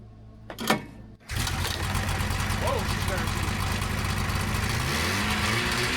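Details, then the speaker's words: 1977 TX340 two-stroke grass drag sled revived after a decade stored, now fitted with replacement clutches, engagement about 5200 rpm; after starting settles to a steady even buzz, no misses or surging, happier on the clutches. Normal running. "All right, that seems like a lot happier on the clutches."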